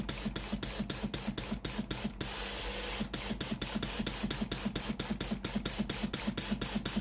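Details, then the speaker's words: Philips PSG8160 steam iron after repairing no-steam fault from failed heating element/boiler: steady pump ticks about two per second with strong even steam hiss midway; steam output normal. "thoát ra bình thường."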